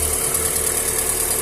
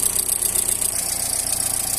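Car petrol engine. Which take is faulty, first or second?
second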